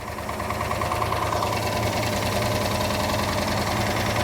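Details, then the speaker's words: Auction Plymouth Duster racecar, big-block with 6-pack setup, leaking lots of oil: uneven, lumpy idle with loose knocking about three beats a second; still bad despite changing intakes, carburetors, timing, valves and plugs, so engine being pulled to find the cause. "We determined the engine was pretty bad no matter what we did, changing intakes, carburetors, ignition timing, adjusting the valves, spark plugs."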